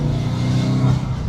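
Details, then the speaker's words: Subaru WRX going into boost: deep, smooth pull as revs climb, no tapping or pinging over the exhaust; owner confirms no knocking; healthy, no detonation. "No knocking. No knocking. Like, are we joking right now?"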